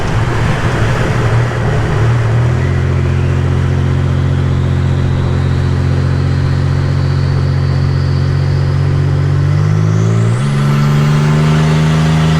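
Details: 1985 Nissan 300ZX Turbo (Z31) after new plugs, wires, coolant top-up and fixing vacuum and boost leaks; eased into, not floored or redlined: deep loud exhaust rises steadily through a shift with faint climbing turbo whistle; strong, normal acceleration under boost.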